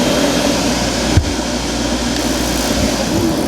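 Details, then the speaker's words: Speed Queen 30lb stack dryer after blower motor repair for heavy vibration: steady even roar of blower and drum with one soft early thump, no scraping or squeal; running normally. "Flame. Sounds good. Another successful repair."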